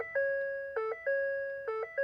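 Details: First-generation Ford Raptor with starting issues, brake light failure, AdvanceTrac and trailer module faults, 911 Assist not operational message: repeating two-tone dash chime about every 0.9 seconds; warning cause not found.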